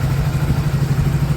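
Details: Hero Passion Plus BS6 after fixing knocking and cutting out, with pump connection refitted to the injector: small single thumps at a steady, even idle pulse of about thirteen beats a second, no misses or rattles; normal idle.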